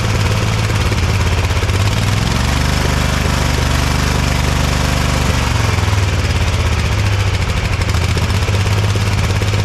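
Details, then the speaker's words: Ariens Ever Ride Hornet zero-turn mower, 25 hp Briggs & Stratton twin with 520-some hours, after new Champion plugs: steady low drone with uneven, lumpy beat and wandering pitch; better but still rough, owner suspects a chewed spark plug wire. "still doesn't sound real great it's better than it was but I'm still wondering if we got a chewed spark plug wire or something"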